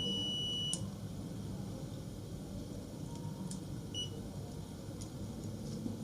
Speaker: so that is it so that is the sound so the continuity sound you can hear the sound of the meter